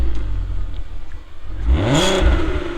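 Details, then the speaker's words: Audi TT 3.2 V6 Quattro started and blipped: quiet idle then a clean rev rising and falling, smooth and free of clatter; a healthy V6 revving freely. "It's a V6 and it's got some note. Just start it up."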